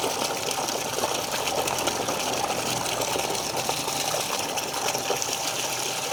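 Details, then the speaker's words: New Shimizu PL-122 BIT shallow-well water pump, copper-wound motor, primed and running: steady, even motor hum under a strong rushing gush of water, no knocks or rattles; delivering strong full flow. "Suaranya halus sekali ya. Nah, ini dia mulai ngisi. Untuk pertama dia memang agak lama, tapi nanti kalau udah ada isinya, dia akan cepat keluarnya."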